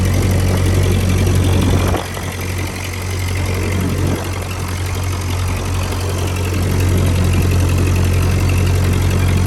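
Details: 1949 Ford 8N tractor, about 23 hp, 12-volt conversion, oil not yet changed, pulling in low first gear: a deep, steady thrum holding an even beat with no knocks or misses, running healthy.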